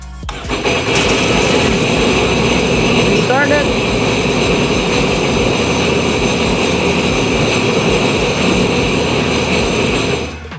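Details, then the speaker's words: Sea-Doo Trixx jet ski with a new battery, check engine and maintenance-required lights on: cranks, catches within a second and holds a steady, even buzzing idle before shutting off; runs fine but the check engine light comes on. "It runs fine, but as soon as we do start it, the check engine light does turn on."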